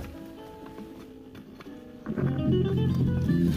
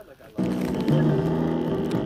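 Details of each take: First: 2005–2013 C6 Corvette, passenger lower door speaker after replacement: music plays with full, steady bass and no buzzing or rattling, where the old speaker rattled badly on bass. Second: Buzzy, rattling bass from the original passenger-side lower door speaker of a 2005–2013 C6 Corvette, the sound of a worn, blown speaker, before it is replaced with a new one.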